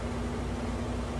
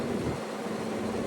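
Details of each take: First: Window AC unit after cleaning, dirt dauber nest removed from the fan blade: steady low hum with soft air whoosh, no rattle or wobble; vibration gone, running smooth. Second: Window AC unit before cleaning: steady droning hum with a faint buzzing shake, sometimes much louder; fan blade out of balance from debris stuck on it.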